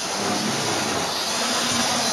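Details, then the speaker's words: Model railway locomotive (Hornby/Triumph) motor running during servicing: steady high hiss with a faint thin whistle; owner thinks the whistle comes from the motor, cause uncertain. "You can hear it whistling a little bit, but I think that's more the engine compared to"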